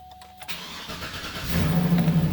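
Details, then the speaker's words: Cadillac Escalade (GM 2007-2014), dead for over a week with a long-standing weak start, after replacing the damaged negative battery cable (GM 22846471): brisk even cranking, clean catch and steady idle, a noticeably stronger, normal start. "it's had kind of a weak start for a long time i think that battery cable has been damaged for quite a while it sounds much stronger when it starts now"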